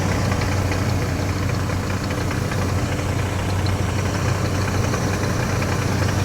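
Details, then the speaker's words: 1996 Ford F-150 (OBS) pickup, 144,000 miles, sat unused for a while: steady idle with a light metallic rattle, constant with engine speed; owner suspects the water pump, unconfirmed. "Yeah, a little rattling I hear. I think it sounds like a water pump."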